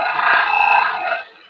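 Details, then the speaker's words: Live oak bowl turning on a lathe, outer wall thinned to about 3/16 in: loud piercing squeal when the scraper touches, as the thin wall flexes away from the tool and sets up harmonic chatter. "yep that is harmonic harmonics being set up by harmonics being set up by once the wall once this outer wall becomes somewhat thin the bowl actually does this"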